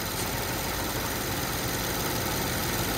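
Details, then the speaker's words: BMW 750Li running after repairs: rough idle with a faint high steady whistle from excess crankcase pressure under the oil cap; the whistle stops when the cap is opened and returns within seconds. Whistle from excess crankcase pressure. "yeah and as soon as I open that the whistling goes away yeah after a couple seconds that pressure builds up pretty fast"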